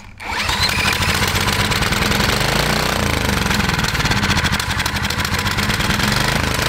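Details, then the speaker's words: 1980s Kawasaki mini bike, FA130 engine, barn find, first run after sitting with frozen carburetor: small single buzzes at a steady high pace, no knock, rattle or smoke; normal running. "awesome that sounds good no smoke yeah we'll clear it out real quick well it's a great sign yeah dude no smoke no knocking perfect"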